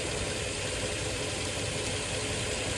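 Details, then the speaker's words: Nissan Xterra at idle with AC on: the compressor kicks on and keeps running with an even hiss and hum while the brown wire is grounded by hand (temporary bypass), and turns off when released. "You can hear the compressor kit on. So there, the compressor is on. It's running right now. I let go, it turns off."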